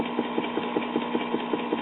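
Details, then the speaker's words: 1959 Spear-Tone tube record player: the turntable motor's vibration carries into the motor board and mechanism as a steady hum with a soft thump about five times a second. "so what noise the motor mates is going to get transmitted to the motor board and through the rest of the mechanism"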